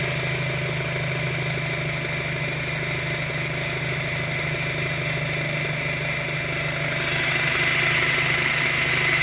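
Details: 2007 VW GTI at idle: steady high-pitched whine over a smooth idle, holding pitch and growing slightly louder, persisting after the timing belt was replaced. Cause unknown.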